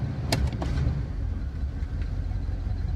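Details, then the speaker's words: 1978 GMC Diplomat Class C motorhome engine after dual fuel tank switch short repair, normal idle then back to high idle: low steady rumble, a few early clunks, no hunting or dying; healthy. "Now it's normal idle. And back into high idle."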